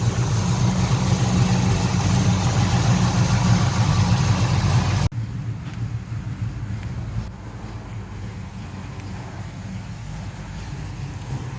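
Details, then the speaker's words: 1970 Pontiac LeMans, rebuilt 455 bored to 461, 6X heads, Edelbrock dual-plane intake, Quadrajet carb, after installing a new MSD 6AL-2 ignition box: steady, even V8 idle, smooth low burble, still running 15 minutes later, box warm; normal idle. "It's still running. So 15 minutes later, we're still good to go, man. She's still running."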